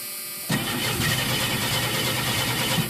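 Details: 1983 Ford LTD: steady churning starter whirr for over two seconds that never catches or fires, then drops away; cranks but won't start, needs pedal pumping before starting.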